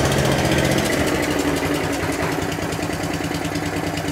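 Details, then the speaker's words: Atco Balmoral 14S cylinder mower with a Tillotson carburettor, after repair of a grinding drive that would not push forward: small engine runs at an even, steady beat with no grinding or clatter from the drive; normal running. "yeah perfect that'll do okay so that's the repair done on the akko balmoral"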